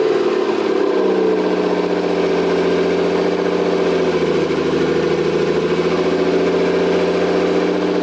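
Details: Toyota 7M-GTE straight-six (MA70 build) after a four-month rebuild, no exhaust, intercooler bypassed, no idle air control valve. Loud raw open-pipe idle, steady even firing that dips briefly and settles back; normal running.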